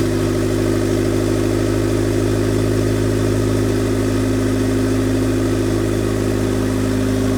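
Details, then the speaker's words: 2000 Honda Civic EX coupe, D16Y8 VTEC 5-speed, first start with oil after fitting a turbo, manifold, wastegate and oil lines: loud, steady, even idle with a constant low drone and no misses or knocks; running smoothly. "All right, so here's the first start of the car. We got some oil in it, and now we're gonna fire it up and make sure everything runs, make sure the turbo's spinning, all that good stuff, and see how it does."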